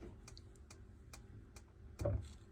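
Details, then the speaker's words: Autocruise Stargazer motorhome fridge being lit on gas: faint sharp igniter ticks about two per second while the igniter light flashes, normal ignition. "But literally, igniter switch. So you can hear the igniter and you can see that it's flashing there."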